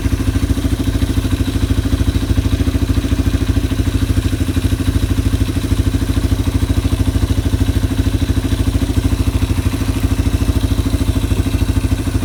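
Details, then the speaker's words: Yamaha ATV (four-wheeler) idling after carburetor cleaning and float adjustment, while a new air filter replaces a very dirty one in the air box. Even, steady single-cylinder putter about 200 beats a minute, no misses or hunting: normal idle. "I've got a new air filter for it, so I'm gonna go ahead and be putting that on while it's sitting here idling."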